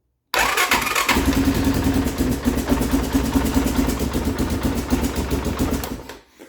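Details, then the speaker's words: 2011 Arctic Cat MudPro with a battery left to run low: sluggish cranking catches almost at once, then choppy, uneven running about five seconds before dying; slow cranking from weak battery. "okay I was not expecting it to start um at least I can drive it out of the garage I don't have to push it out so um kind of crank slow"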